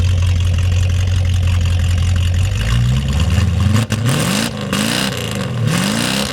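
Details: 1937 Chevy with its original factory carb replaced by an aftermarket carb, about 5200 lb: deep, even rumble climbing smoothly as the throttle opens and settling back, no misses or knocks. Normal six-cylinder running.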